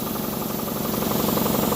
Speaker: Clearly, it's building pressure cuz you can hear it. I think that's a a nice save for what would have been a throwaway item.